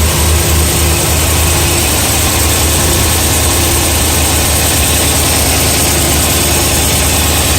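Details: BMW E92 M3 S65 V8, 65,600 miles, oil changed one month/300 miles ago, at idle: steady rumble with a light, quick tick, worse cold, quieter warm but still present; source unclear.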